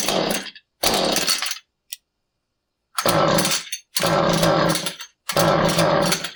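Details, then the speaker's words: Husqvarna 435 chainsaw that won't start despite good blue spark, fuel and air filter fine: repeated pull-cord bursts, each a brief ragged buzz dying within a second; failed ignition coil, replaced based on experience. "When you pull on the cord and you get that where it kind of wants to run, but doesn't, here's your part number for the new coil on a 435."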